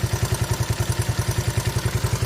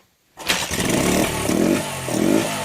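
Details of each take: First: 41-year-old imported Honda XL125S single-cylinder idling after the cam chain noise was fixed; even thump about nine beats a second with only the normal soft whir, no chain rattle. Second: 41-year-old imported Honda XL125S single-cylinder first started after fuel was added and a bit of choke, float suspected stuck; fires up, then surges and sags unevenly under blips, sticking carb float.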